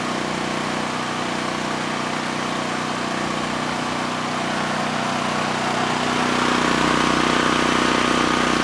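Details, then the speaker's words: Chicago Electric generator model 98838 (no power output) after carburetor cleanout, on external fuel supply: steady even drone picking up slightly, no misses or knocks; engine healthy, no-power cause suspected intermittent ground fault in wiring. "we've heard the engine run it sounds good and somehow that car carburetor is actually running the engine well despite what we saw in the tank"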